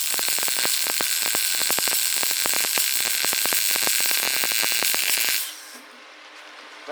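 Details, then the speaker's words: New Lincoln 180i MP DV MIG welder, heat raised from 5 to 7, wire speed possibly a bit fast: steady frying crackle with quick, even pops for about five seconds; a proper, smooth weld arc, weld slightly hot. "sounded better that sounded like we were welding"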